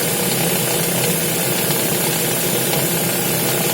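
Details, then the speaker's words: Lada Vesta at cold idle: a fast, dense metallic knock and rattle from the Valeo clutch disc, typical of its worn damper springs. "И стук, и треск идет. Очень неприятно."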